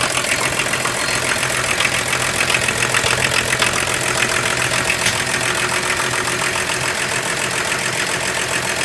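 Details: 1987 Volvo 760 GLE Turbo Diesel wagon, D24TIC engine, first start in 7 years after the cylinder head, broken by a cooling system failure, was repaired: even, steady diesel clatter at idle with no misses or knocks.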